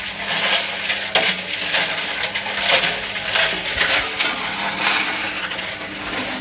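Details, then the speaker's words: Privileg 5140 washing machine after a part came off and damaged the old motor's brush and power was lost; drum turns slower than before with loose, uneven tinny clattering over thin hum, cause unknown, owner suspects water on motor. "As you can see, it's not spinning at the same speed that it was."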